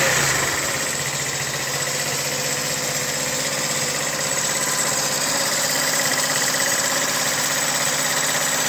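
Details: 2009 GY6 150cc four-stroke scooter with 900 miles, after a trashed piston and seized rings were found and fixed: steady, even buzzing idle with no knocking or stumbling; normal running.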